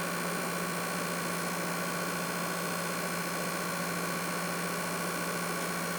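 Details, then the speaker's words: PS5 fan noise while playing a game disc: a steady whoosh with a faint constant hum and no rattle or rising whine. This is normal cooling; of the three fan variants, the Nidec tends to be loudest. "so now you know what exactly your ps5 should really sound like if you notice that your ps5 seems particularly loud it could be that it was assembled with the nidec model cooling fan as this one tends to be the loudest"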